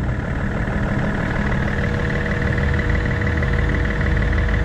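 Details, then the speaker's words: BMW X5 diesel started after a fuel filter replacement: starts straight away into a steady, even idle with a soft, regular clatter and no knocks, misses or hunting; no fuel leaks found afterwards. "so he starts up straight away which is perfect so what we're going to do is we're going to leave it running"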